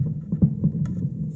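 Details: Thunder THC-SUB101 active subwoofer with constant low hum and soft rhythmic pops, no input signal; noise stops when the filter board line input is disconnected from the amplifier, so the owner suspects the filter board, not the output amp: popping and hum.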